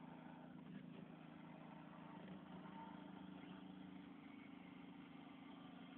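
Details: Vauxhall Astra H power steering hiss at idle: steady engine hum with a continuous airy hiss; steering also very stiff to turn, and the pump has been changed twice without curing it.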